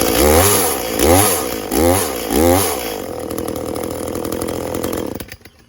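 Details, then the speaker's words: Echo CS400 chainsaw after OEM oil pump replacement and carb tune, cutting hard white oak: four quick throttle bursts, pitch dipping under load then recovering, then steady idle; cuts well, slightly slow; chain dug in under own weight; normal cutting. "Cutting into white oak, so should be a pretty good test for it. Nice hard wood."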